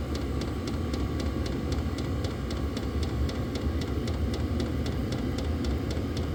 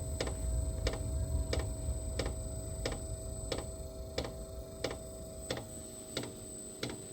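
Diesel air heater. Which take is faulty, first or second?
second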